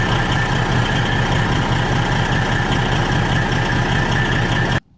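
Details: Freightliner truck with exhaust smell in the cab, heavy diesel idling steadily: a raspy hiss and faint rapid puffing over the rumble, an exhaust leak most likely at the front flex pipe, checked with soapy water.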